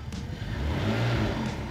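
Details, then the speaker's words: BMW E60 revved with a component disconnected, after a connected rev had produced a vibration that sounds like an exhaust leak but is not one: a clean pitch rise with a smooth, deep exhaust note and no buzzing rattle; sounds better. "suena [Música] mejor"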